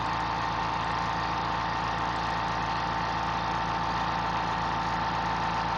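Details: Fortress 2-gallon ultra quiet air compressor filling its tank in 45 seconds. A steady low hum with an even fast pulsing beat and faint constant tone, no knocks; very quiet, normal running.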